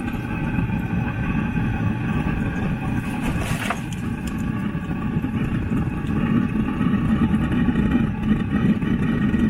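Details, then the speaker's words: Newly fitted Webasto diesel fuel-burning parking heater on a Land Rover Freelander 2 at first start-up, circulation pump running, coolant level fine: after a soft pop, a steady, low, even burner rumble with no misfiring or chuffing; running properly. "let's check the circulation pump i could feel the pump pump is running coolant level you wouldn't be able to see it properly but the coolant level is fine so i think it's beginning to start up"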